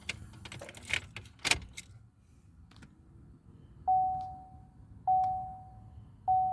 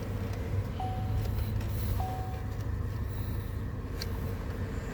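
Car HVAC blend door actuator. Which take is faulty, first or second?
first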